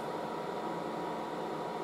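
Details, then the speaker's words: Late-1960s General Electric HD-8C bonnet hairdryer on medium, hose getting warm, very quiet: a soft, even airy whoosh with a faint steady hum and no rattles or pitch swings; normal running. "I've really gas so the hose gets warm it's actually pretty quiet very it's the quietest hairdryer"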